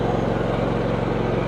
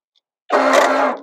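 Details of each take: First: John Deere X320 riding mower, 513 hours, after sitting for a couple of years: small engine runs smooth and even, settling to a slightly lower speed midway, no knocks or misses; runs great. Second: John Deere X320 mower, carb sprayed, half to full throttle, starter shedding broken pieces: short, high, even whir spins up and dies with no cranking; starter not engaging, likely missing rubber preload spacer, flywheel not seized.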